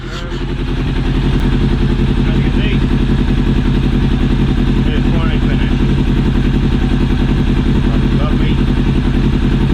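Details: Yamaha Thunderace motorcycle engine first fired after top-end rebuild with new rings, head gaskets and reseated valves, carbs and fuel pump refitted: steady, even firing pulses at a fast idle, no knocks or ticks; healthy, smooth running.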